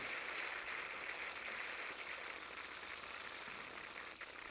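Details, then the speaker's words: Freeze Miser on an outdoor spigot with the buried riser near freezing: steady water hiss easing as the water warms and the valve closes normally. "It's shutting down. It should come to a complete stop on us as it heats up. You can still hear it hissing."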